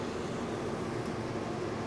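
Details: Mr Cool mini split AC installed in a 2019 toy hauler fifth-wheel RV, with the outdoor unit mounted inside the garage: a steady, even whoosh of fan and compressor with no knocking or squeal, running normally.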